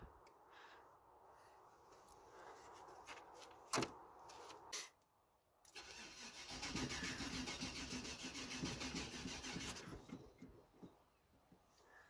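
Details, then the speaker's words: Cadillac Fleetwood with OptiSpark distributor, during a heater core coolant restriction valve repair: starter spins the engine about four seconds with an even churn but it never fires; fuel pump heard, gas smelled, first-ever no-start; OptiSpark failure later blamed. "This is actually the first time where it's refused to start. What the actual fuck?"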